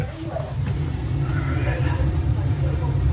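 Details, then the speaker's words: Gas boiler on a no-heat call after relighting the pilot that had gone out (thermocouple holds pilot valve): main burner ignites, steady low roaring rumble, no pulsing or popping; fires normally but needs a cleaning. "got ignition. She needs a cleaning."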